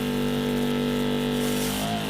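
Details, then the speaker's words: Portable 12 V car/bike wash kit pump running on the ground, powered from the van with engine on: loud steady motor drone shifts pitch and settles as water siphons through once primed; normal running after priming. "it takes a little bit to get the water up first [Music] just said siphoning through now you can hear it change"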